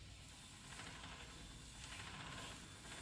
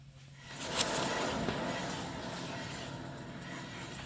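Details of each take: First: 2011 Toyota Tacoma 4WD, 1GR-FE, 6-speed manual, 160,000 miles: the other front wheel spun by hand is quiet, with only a faint hiss and light clicking from the CV axle, no growl or hum; this wheel bearing is healthy. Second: 2011 Toyota Tacoma 4WD, 1GR-FE, 6-speed manual, 160,000 miles, front humming complaint: front hub spun by hand gives a rough, gritty grind with low hum that shakes the front suspension; worn front wheel bearing.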